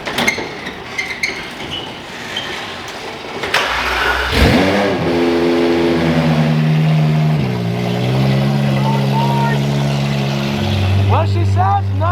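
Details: Crashed Ferrari 812 Superfast being rebuilt. It cranks, catches cleanly, flares, then settles to a smooth, steady idle with a few crisp revs; sounds healthy.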